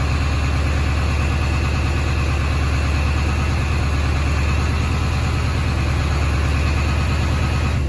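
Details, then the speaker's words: Ford 7.3 diesel just fitted with a Hydra tuner, set to position 2 (idle-up, meant to be 1200 RPM): steady diesel clatter with a deep regular pulse at raised idle, no misses or knocks; normal high idle. "2 is supposed to be idle up. That seems to work. It's supposed to be 1200 RPM idle up for when it's"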